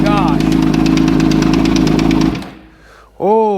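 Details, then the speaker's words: 2006 Suzuki GSXR 750 with 240 kit, clutch switch bypassed: engine starts with an uneven rattling clatter, about three knocks a second over idle, then cuts out; owner suspects a destroyed, bent transmission output shaft, unconfirmed. "it could be a good possibility that the output shaft is just destroyed and bent uh it looked like it when I started and looked in there a minute ago just to see what the racket was"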